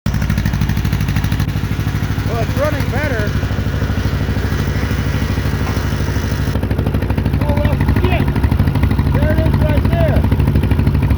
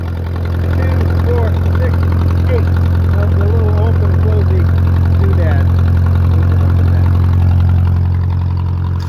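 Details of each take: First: Case CK 530 tractor, long-running misfire despite new wires, cap and rotor: low rhythmic idle with an uneven, loping pulse; one valve found stuck down, not opening or closing, leaving a dead cylinder. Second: 1967 Case Construction King 530 tractor after fixing a stuck valve that caused a misfire: steady, even low idle thrum with no stumbles or missing beats; sounds like a happier tractor on every cylinder.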